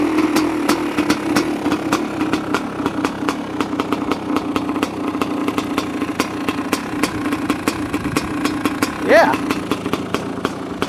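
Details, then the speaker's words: 1985 Honda CR500 two-stroke in a 2007 CRF450R frame, choke just turned off, muffler fitted, still a bit rich: crisp evenly spaced popping idle with a clean throttle blip; runs healthy. "I just turned off the choke motor sounds different with a muffler on it sounds pretty good huh it it's still a bit Rich which is okay sounds like it has a cam in it you know"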